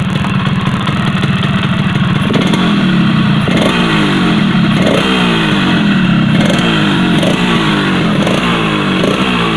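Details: Yamaha RX-King two-stroke after a rough-engine fix where the loose piston was pressed to fit the block again: crisp revs rise and fall cleanly with no knock under the exhaust crackle; running healthy.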